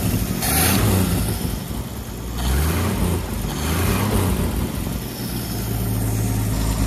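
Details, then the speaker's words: Freshly started Chevy 250 inline six, first run with no water, in neutral: uneven low idle with ragged puffing tick from a bad exhaust leak between the two parts of the intake; oil pressure 40 psi. "40 lb of O pressure sounds pretty good I've got a bad exhaust leak between the two parts of the intake but that's okay"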